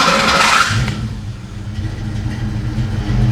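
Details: Hot start after heat soak: harsh, gritty starter whir under a second, then the engine catches and idles lumpy; starter meshing poorly when hot. Owner suspects a faulty power wire; new power wire fitted. Cause not confirmed.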